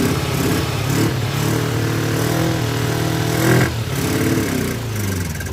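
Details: Kawasaki Ninja twin project bike, temporary fuel splitter feeding both carburetors, flooding on start: idles unevenly, beat wavering and stumbling; rough running, carburetors suspected as the main issue.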